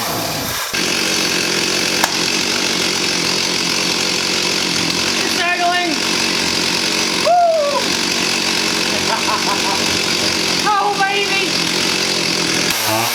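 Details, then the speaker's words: 1985 Stihl 028 AV Super Electronic Quickstop chainsaw, unused 10+ years, which had run only on choke: it buzzes high but stumbles and bogs sluggishly on low speed before it is warmed up. A lean low-speed mixture or carb blockage is suspected, with screws to be set at 1¼ turns. "nice little sluggish on the low speed as it's trying to get up but you want to fully warm up the engine before you start adjusting on the carburetor"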